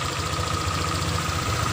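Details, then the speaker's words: Honda Vario 125 scooter: steady even low idle throb, no knocks or misses; normal idle, rpm called good because oil circulation runs smoothly. "RPM ini adalah RPM yang baik karena artinya sirkulasi oli berjalan dengan lancar ."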